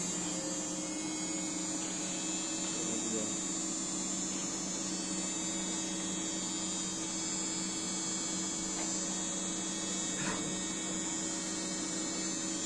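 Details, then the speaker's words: Samsung Elmas Kazan 7 kg washing machine after drum bearing replacement, at full spin: even, steady high whir with no rumble, grinding or knocking. The earlier loud noise is gone. "O uçak sesi gitti motor şeyden çamaşır makinesinden arkadaşlar makinede İşlem tamam Şu anda herhangi bir sıkıntısı yok duyduğunuz gibi dönsün dönebildiği"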